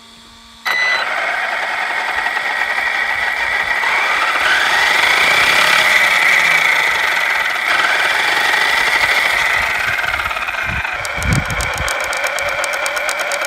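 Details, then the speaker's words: Losi Lasernut RC truck after shimming the front pinion and ring gear mesh with a 0.2 mm shim behind the ring bearing and relubing: an even, steady gear whine with no clicking, smooth drivetrain after a battery pack run. "we ran a battery pack through it and it doesn't seem to be clicking anymore. Everything seems to be smooth."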